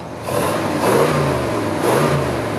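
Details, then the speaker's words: 1966 Chevrolet Caprice 396 big-block V8: two quick throttle blips rise and fall cleanly with a smooth, even exhaust and no misfire or rattle; normal revving. "Non, tu vois, c'est pas, ça reste discret, c'est joli, hein. Par contre le son en provenance de l'avant, hein, du moteur lui-même, est très joli, quoi."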